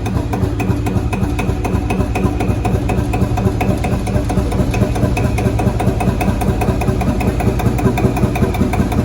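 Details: Field Marshall Series 3A single-cylinder engine on its first start after a rebore and oversize piston, fitted after a piston ring snapped, likely from bore pitting. Steady, even thump at constant idle with no knock or clatter; normal running, better than before.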